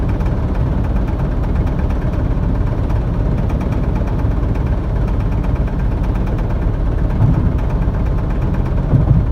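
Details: Honda Civic at highway speed, only from 65 mph up: deep road rumble with a faint quick rattling tick; persists despite replaced driveshaft, shock absorbers, rims and tires, plus balancing, alignment and rotation.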